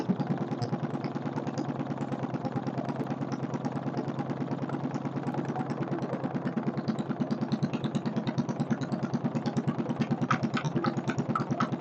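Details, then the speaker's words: Kohler K301 stationary single-cylinder engine just started, not well bolted down: even, steady beat about 140 a minute, no sharp knock; runs healthy, owner unsure of knock but thinks none; carburettor work still planned. "motor sounds good can't tell if there's a bad knock there or not doesn't sound like it"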